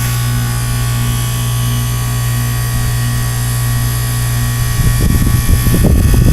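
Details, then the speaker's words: Goodman heat pump outdoor unit, frozen solid in an early-2014 blizzard, running a defrost: a steady low hum, then a rough rushing whoosh as the iced coil sheds warm steam and melts the ice; normal defrost. "see how wet and the unit is from this defrosting oh it's it's nice warm steam"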